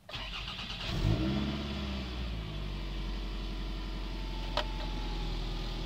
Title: 2003 Toyota Highlander 2.4L Exhaust Leak